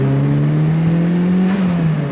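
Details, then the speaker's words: Turbo Toyota Celica GT-S after installing a TRD exhaust canister: a smooth, steady exhaust note rising and falling with the revs and no rattle or buzz; the earlier exhaust rattle is gone. "that's so much better and no more rattling so when I got the dino video it was rattling"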